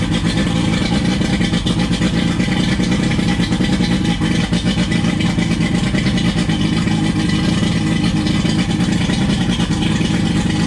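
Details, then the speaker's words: 1999 Johnson 115 two-stroke outboard on a 1999 Wellcraft 190 CCF, started after about a week unused: loud even drone held at high revs, no misses or knocks; owner admits over-revving it after start; runs strong. "I just turned it off so you see it started up pretty good after about a week of not starting the boat and it started up pretty well"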